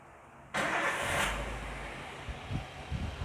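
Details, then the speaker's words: Engine started (IG on) during an X-Tool PS2 scanner test: quick crank catches into a brief rev, then settles into a steady, even idle, rpm normal, with no knocks or misses. "Ini RPM nya normal seperti itu. Ini idle, putaran idle."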